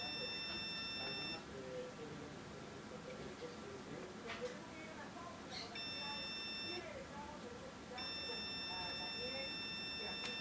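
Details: Computer running Windows Vista repeats a long, steady high beep of about a second and a half every few seconds over quiet room noise after it froze; source of the alarm unknown.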